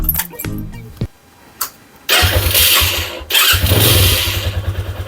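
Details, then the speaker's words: Dion 150 motorcycle after replacing the cam chain tensioner: a few cranking clicks, then it starts and settles to an even idle with a quick rev; the knock is gone and the engine runs smooth. "la motocicleta el motor se siente sedita ya se siente diferente ya no se siente el golpe aceleramos y el motor volvió a la normalidad"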